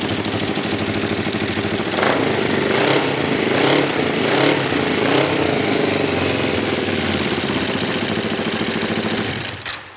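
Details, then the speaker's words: Kawasaki GPZ 500 cafe racer after carburettor cleaning, fresh fuel and a charged battery, before carb synchronisation. It started once the carbs filled and now holds a steady twin-cylinder idle, with clean throttle blips that return smoothly; healthy. "ya hemos conseguido que arranque. En cuanto han cargado los carburadores, ha arrancado."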